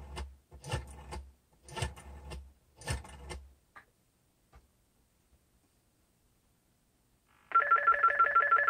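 Four clean bursts of dial clicks, a short silence, then a steady fast-trilling bell; dial and ringer both working normally.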